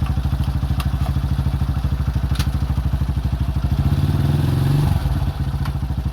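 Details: 2005 Honda CRF150F single after valve adjustment and carb tune-up for a no-start, idling while the carburetor is adjusted: an even, steady thump with a brief rev near the end that drops back cleanly. It runs smoothly.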